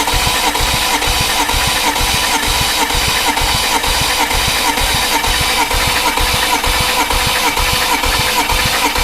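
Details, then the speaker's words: BMW 335i N54 compression test before fitting 17T hybrid turbos, done during intake-valve walnut blasting: steady, even rhythmic cranking; this cylinder climbed slowly to about 180 psi versus 200 on the others, about ten percent down. "that took a lot longer yes it still it was still climbing but it wasn't didn't get to 200 on the others no that has come up at one sixty seventy eighty one eighty just ten percent down"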